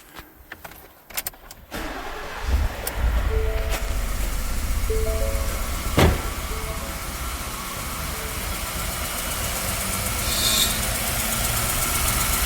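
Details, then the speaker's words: Ford truck engine that runs terribly and eventually dies: after the start, a lumpy uneven idle with a recurring stumble, clacking and compression popping back through the intake; dead cylinder from a worn cam lobe, first thought to be a broken valve spring. "That's basically like compression or whatever popping back through the intake. And I was hearing that, and that's why I was like, that's why I thought it was a broken valve spring. But she does run terrible, and you can hear it clacking away too."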